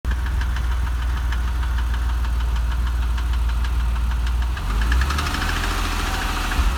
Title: 996 3.4 engine ticking sound video 1